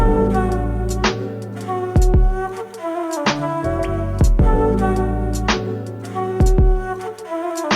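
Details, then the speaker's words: 2005 Toyota Land Cruiser 100 Series front door speaker after surround repair kit, tested before the door card goes back on: music plays clean with no buzzing or rattling on low notes; speaker now sounds like new. "Alright, so that was a massive success. The speaker sounds like a brand new speaker now. No more rattling and crazy sound."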